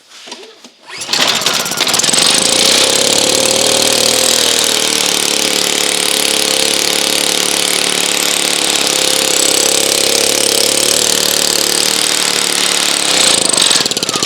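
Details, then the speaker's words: Honda EU2000i generator with no power, air filter assembly removed, on choke: loud buzzy ragged uneven running, fuel spitting back out of carburetor instead of being drawn in; owner first suspected valve problem; rough running. "sounds terrible don't it sounds like it's got a valve problem did you see how it was shooting the gas out of the carbit trator instead of sucking it in"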